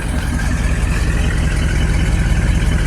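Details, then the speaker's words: 454 Vortec big-block V8 in an OBS Chevy after fuel-injection-to-Quadrajet carb conversion, no coolant, 60 psi oil pressure: deep, steady, even exhaust-side idle rumble, healthy apart from a small exhaust leak. "I'm pretty happy with it sounds really good over to the exhaust side I mean it never ran this good when I had the fuel injection on it I can tell you"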